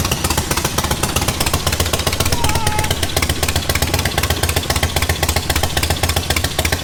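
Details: Charity-build V-twin motorcycle started before dyno: even loping thump about three or four beats a second, steady without stumbles; now idles where it didn't last time; normal idle.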